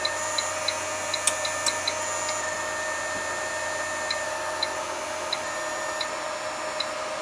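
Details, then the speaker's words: Keithley 150B microvolt ammeter on a battery-pack supply lowered to about six volts: faint light ticking, roughly two or three a second, over a steady hum as the chopper frequency changes; chopper sound change from low supply voltage. "so six volts if you want to hold this tunnels on the chopper is changing you can hear the chopper changing"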